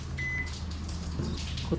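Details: Toshiba washing machine that won't wash or spin, drain motor runs nonstop, then lights flash with alarm: one short high-pitched beep over low motor hum; error alarm, cause suspected, not confirmed.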